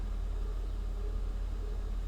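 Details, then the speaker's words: Mercedes 500SEL that sat since 2008, back home after stalling on its first drive: steady low idle rumble with an even, unbroken beat, no misses or knocks; running well. "she's running pretty dang good can you hear listen to this yeah i'm gonna call that a win"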